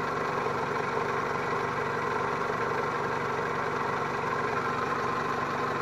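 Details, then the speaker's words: 2001 Toyota Camry after replacing a clogged catalytic converter (rotten-fuel smell and smoking gone): smooth, even warm idle with steady hum, no ticking, misses or exhaust puffing; runs well, though may need spark plugs; valve cover gasket leak remains. "And she's a happy camper now. Listen to that. I think it could use some spark plugs, even though it runs okay, but now it sounds happy."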